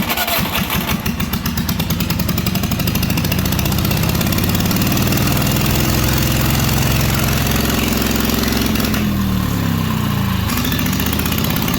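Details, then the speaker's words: Old engine with a jump pack as power, started with boost and a little choke once good spark was restored after slow cranking: it catches and settles into a steady, even putt with no misses, running normally. "hell yeah so it's running a hundred percent on the jump pack"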